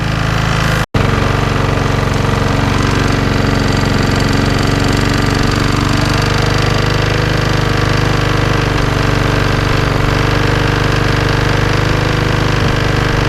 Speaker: I'm getting a knocking noise coming from within inside. I can hear it knocking.